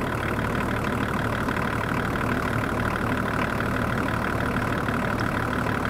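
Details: 24-year-old Range Rover P38 diesel, abandoned five years, jump-started and idling to warm up to thermostat temperature while bleeding air from the coolant system: smooth, even diesel idle with a steady beat, no knocks or misses; sounds healthy.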